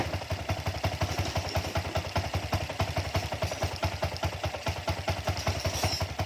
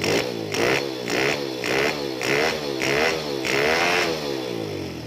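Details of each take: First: Honda Wave 100 dirt-bike conversion with a shop-bought carburettor, only the jet changed: small single idles with quick, slightly lumpy thumps about eight per second; air screw closed too far, mixture too rich, stumbles after heavy revving. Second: Honda Wave 100 dirt-bike conversion with a carburettor, after opening the idle air screw: repeated short revs, about two per second, pick up cleanly and drop back without stumbling or stalling; revs better than before, music in background.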